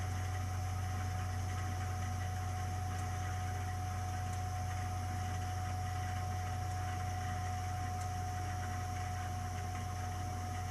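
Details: 3-year-old Burnham Alpine ALP150W gas-fired boiler, running: a heavy, vibrating low rumble with a steady tone above it, heard frequently; owner doesn't know the cause.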